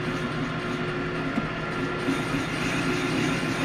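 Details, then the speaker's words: Long boring bar, about 2.5 inches, boring a bushing for an 1889 G&E shaper restoration: steady buzzing squeal over the cutting noise as the cut bends the bar, leaving chatter in the finish; boring bar chatter. "Yeah, see, it's bending that, the cut is bending that tool. Kind of hear the chatter."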